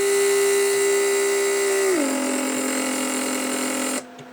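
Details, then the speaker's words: Mercedes S-class (1995) door lock PSE pump under rear seat, repaired with readjusted micro switch circuit: electric pump hums steadily, drops in pitch as vacuum builds, then cuts off cleanly once enough vacuum is made; pump working properly. "you hear the pump operation creating vacuum you can see what I'm causing it"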